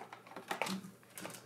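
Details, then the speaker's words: Laser display galvo scanner driven by TDA2050 audio amplifiers without feedback loop, mirror only maxing out to one direction or the other: sharp, irregular dry clicks several per second; mirror hitting its end stops. "as it is the mirror was only maxing out to one or the other direction that isn't healthy at all is what I found out later"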